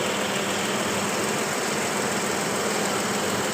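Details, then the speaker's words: Toyota 1GR-FE 4.0L engine after overhaul, idling at the shop before the final test drive: steady smooth idle with a faint quick tick and no deep knock, considered normal because the catalytic converter was removed. "So, kung marinig yung mga idol, meron siya kunting tik-tik-tik dito mga idol. So, normal yan mga idol kasi yung catalytic tinanggal."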